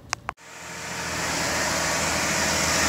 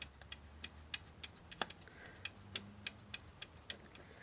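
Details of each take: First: 2013 Jeep Grand Cherokee 3.6L V6 Pentastar after replacing a broken rocker arm (failed ball bearing): engine starts and settles into a smooth, even run with the tick gone; normal idle, healthy valvetrain. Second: 2013 Jeep Grand Cherokee WK2, 3.6L V6 Pentastar, cylinder head off: sharp dry clicks about three a second as a loose rocker arm is rocked by hand; its roller bearing has failed, causing the engine's ticking.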